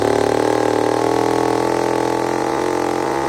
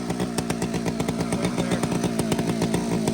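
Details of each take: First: Old chainsaw with round chain, first cut in years: at full throttle burbles and four-strokes off the wood, then pitch drops and clears as chain bites; safely rich carburettor mixture. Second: Old chainsaw fitted with round chain sits at a fast, busy steady high-buzz idle with no throttle applied; the low-speed jet is set wrong and needs adjusting down.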